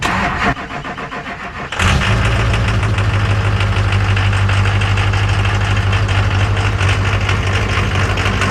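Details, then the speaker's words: Donor truck, stock 221,000-mile Duramax diesel starting then idling: hard clattering knock about three times a second; 23,000 PSI rail pressure at idle versus 5,000 expected, suspected bad fuel pressure regulator; no haze. "like a 12 valve. I was like, where the hell's the exhaust?"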